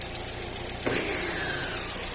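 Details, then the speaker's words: Car engine after service, warming up on the first start of the day, left running while the engine bay is hosed with water to reveal misfires from dried injectors or bad cables. It holds a steady, even idle with no stumbling; no misfire. "e o motor ó tá vendo funciona ó o carro não tá falhando tá"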